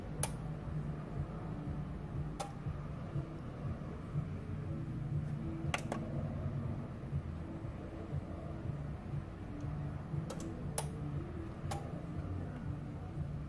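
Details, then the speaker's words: Yamaha HTR-5840 receiver with 5 V supplied externally to the faulty 7805 five-volt regulator: amplifier hum, then the second relay click for the speakers, and the receiver stays on; receiver now powers on normally. "so that is the receiver is on and we hear the second click for the speaker's the end this the receiver stay on"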